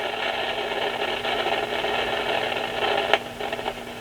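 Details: B&K E200D RF signal generator, covers off and oscillator shield removed: steady hiss with a low hum, then random crackles and one sharp pop in the audio output, traced to a faulty transistor.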